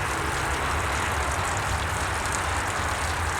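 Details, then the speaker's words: 2-stroke outboard at idle after fuel system refresh (carb cleaned, fuel pump, lines, tank, fresh mix, plugs, idle air bleed screw at factory setting); it previously would not idle: steady, even low putter with no stumbles, smoother than ever. "okay so I'm not going to argue with that that's smoother than she's ever idled"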